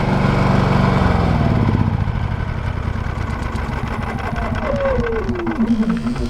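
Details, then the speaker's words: Brand-new Harbor Freight Predator 9500 inverter generator, 0 hours, just pull-started, no load: quiet steady hum easing as revs settle, no knocks or misses; normal running. "Hear how quiet it is? That's the inverter. They're super, super quiet."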